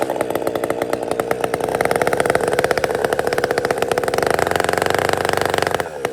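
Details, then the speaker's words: Chainsaw after a major repair, previously hunting at idle: crisp, even two-stroke firing dropping to a clean, stable idle with no hunting; now running normally. "But, uh, it's just it's clean now. It's behaving."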